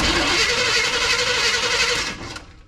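Starter whirs at an even cranking pace for about two seconds and the engine never catches; a dead ignition module gave no spark.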